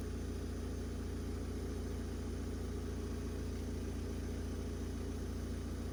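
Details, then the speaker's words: Opel Combo 1.7 diesel idling smoothly and evenly with steady clatter, no misses or knocks, after repair of a no-start (code P0251): fuel system bled, leak fixed, priming bulb fitted, engine-mounted control unit resoldered; starts cleanly. "Ну, але машина заводиться чітко. Якось так."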